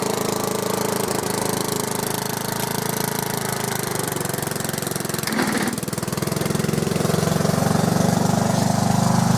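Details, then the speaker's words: Small engine running lumpy and uneven, beat stumbling about twice a second instead of a steady putter; described as so rough, cause not yet found. "so rough."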